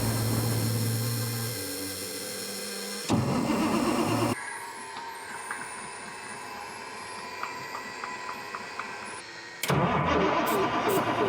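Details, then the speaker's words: Old Ford mobile home mover truck, long sitting: repeated cranking bursts with a brief catch and a little white smoke, never settling into idle; cranks but won't start, wiring hookup uncertain. "spin it over it had a little white smoke it seemed like it possibly could have started"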